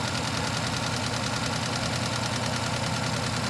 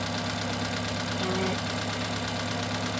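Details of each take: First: Idle with an uneven stumble, about three beats a second, instead of a smooth hum; engine running with one ignition coil missing, so that cylinder is dead and misfiring. Recorded during scope-based misfire diagnosis. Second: Engine running at idle during misfire diagnosis while a scope checks the running crankcase pattern: steady, even idle with a constant low hum, no misses or stumbles; pattern shows no anomalies, healthy engine mechanically.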